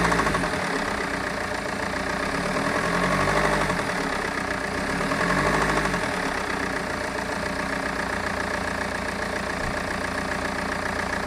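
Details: BMW 320d E46 diesel running with a steady, fairly regular knock about three to four a second, cause unclear; the same sound is heard when driving.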